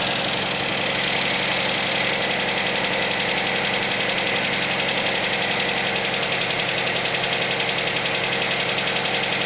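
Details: Suzuki Vitara engine at cold idle with sharp, fairly even metallic tapping about four times a second over a hissy background; cold-start engine knock.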